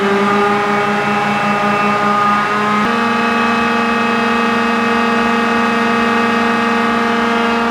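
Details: John Deere green F12-090 hydraulic motor returned for a customer-reported squeal, bench run at 2,000 rpm with no load: steady clean whine holding constant after a slight speed step, no knocking or grinding; normal.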